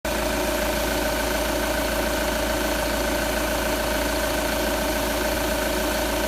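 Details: Audi A4 8K 2.0 TDI at idle, which the owner suspects is too loud: steady diesel idle with an even clatter and a constant hum. No specific fault stands out.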